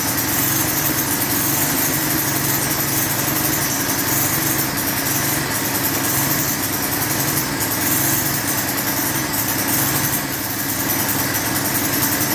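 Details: Lawn edger with 3.5 HP Tecumseh engine after a properly installed air filter: fast, buzzy single-cylinder note holds steady without misses or surging; runs smooth and healthy.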